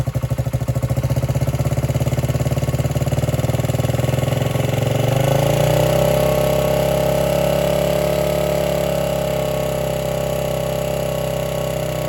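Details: 1978 Honda XR75 single, first run since about 1989 after restoration; fires with ragged popping, then wavering idle that won't hold smooth; would not idle or drive well, low on power; timing and compression checked; cause was carburetor needle clip in wrong position.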